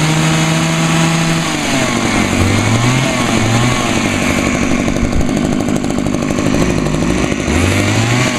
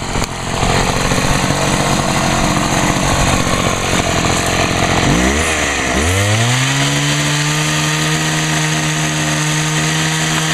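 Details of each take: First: Two-stroke hedge trimmer on 50:1 gas-oil mix: high two-stroke buzz whose pitch sags instead of climbing when throttled, bogging out; owner suspects lean running and plans to turn the L screw out. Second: Homelite HT-21 hedge trimmer two-stroke after carburetor rebuild: revs high, dips and dies briefly, then restarts and settles into a steady, even tone, quiet through its small muffler; running fine without carb adjustment.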